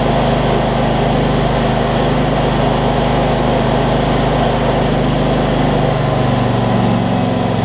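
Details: John Deere LT166 riding mower with a retrofitted 46-inch deck, after sorting its starting issues including the solenoid cable: the small single-cylinder engine idles steadily and evenly with no misses, knocks or hunting. It sounds healthy.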